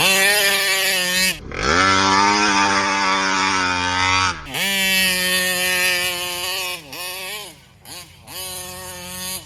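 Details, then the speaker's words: Kraken Vesla .5 with 35cc Taylor reed two-stroke engine, air filter clean: high buzzy revs climb then sag and stumble repeatedly, won't get on the pipe; bogging at high rpm, owner suspects carburetor fuel starvation, possibly plugged screen. "trying to figure out what the hell is going on with this cuz it it high RPMs it acts like it's starving out for fuel so"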